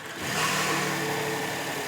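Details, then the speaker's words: 2011 Rolls-Royce Ghost 6.6L turbo after fixing a crank-no-start (Hall-effect sensor tested), first start attempt: quick crank, then fires cleanly and settles into a smooth, steady idle with no misses or knocks; normal start and idle. "Oh, that starter was a little trigger happy there, but that's awesome. This thing is running."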